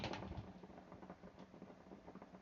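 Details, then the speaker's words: Household dry-cleaner steamer after a second home repair, its broken fitting glued back on: soft, irregular bubbling and gurgling from the boiler as it percolates normally and gives off hot steam. "You can hear it though, right? Can you hear it percolating? That's a nice, beautiful steam coming out."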